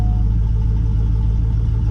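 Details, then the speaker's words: 2000 Chevrolet Silverado hunt truck, oil just changed to full synthetic, running with no exhaust system: loud, deep, raw idle with blunt low pulses and no muffling, way too loud; good oil pressure, gauges erratic from a bad cluster ground. "That's what they sound like with no exhaust."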